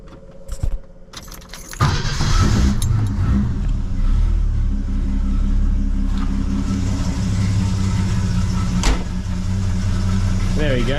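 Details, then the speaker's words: 1974 Holden LH Torana, with new hoses and radiator and a second-hand battery. After key jingling, with the choke off, it settles into an even, low, steady warm idle with no misses or knocks, a normal warm idle. "as you can hear there she purrs along really nicely actually it's got a nice sound to it nice note"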